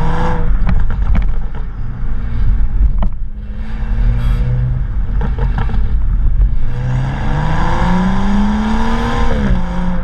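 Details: BMW M235i with HJS high-flow sports cat, standard exhaust and BMS tips: tinny buzzing rattle as the engine revs up and down; cause found to be disintegrated inner clamps/clips in one BMS tip section rattling around.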